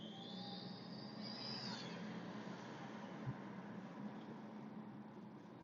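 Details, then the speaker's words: Mercedes W205 C180d, OM626/Renault R9M diesel, 210,000 km, cold: high whistle/squeal rises in pitch over the engine drone under acceleration, then fades; gone after about 5 minutes of driving; full power, no oil or coolant loss; exhaust smell at cold start; cause unknown. "ich habe Geräusch in kalten Zustand dass der sozusagen pfeift oder quietscht"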